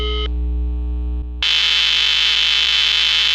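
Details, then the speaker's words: Intelbras Modulare/Conecta telephone exchange under repair for a missing extension tone: a clean, steady dial tone at the op-amp, normal, lasting about a second before loud hiss from the matrix takes over. "Temos o tom de ramal aqui, ó, no amplificador operacional, normal."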